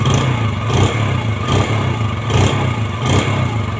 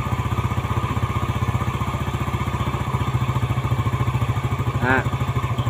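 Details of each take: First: Yamaha Jupiter Z after engine rebuild for ngelitik/ngelotok (pinging/knocking) noise, original piston, new valve stems: even single-cylinder beat with quick clean throttle blips, oil circulating, smooth quiet running, instant throttle response, no pinging or knocking. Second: Yamaha Jupiter Z after rebuild, carburetor air screw being tightened to find the highest idle: even thumping at about fourteen beats a second, slow and flat; the idle is too low, so the screw is loosened again.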